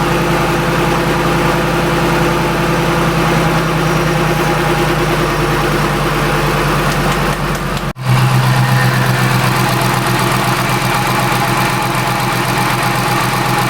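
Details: Shelby Mustang GT500 supercharged V8 at idle after intercooler pump and burnt pump harness replacement, fixing a two-year no-boost issue; even, smooth idle with one brief blip, earlier worrying sound gone, no whine or knock; healthy idle.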